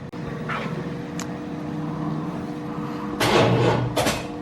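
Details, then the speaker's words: 1997 1500 truck with a reportedly 355 V8, cam and 4L60E, being started with a button; starter turns the engine over at an even churning pace with louder bursts, starter working properly. "works I told us all we needed to know it's cranking the engine over"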